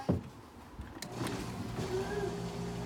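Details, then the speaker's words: Bosch dishwasher that hums but won't start, defective capacitor found: the wash motor runs with a steady low hum, faint even tone, no grinding or buzzing; normal wash motor running. "you hear this the wash motor is already running so the wash motor is fine"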